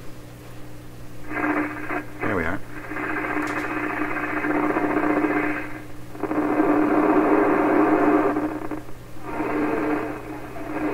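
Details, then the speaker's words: 1928 RCA Victor Model 28V radio before its final tune-up, using only a short indoor wire antenna: hiss, crackle and a faint hum with barely any station. Weak reception; a longer outdoor antenna is expected to work better. "this wire is really full of noise without a lot of radio signal and that's exactly what you're hearing here a lot of noise not much radio"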